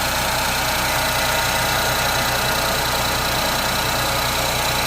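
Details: Ford Fiesta EcoBoost 1.0 three-cylinder at cold idle: fast, loose ticking chatter over a hissy top end, only when cold, gone after 25-30 seconds and absent while driving; abnormal cold-idle noise, cause unclear.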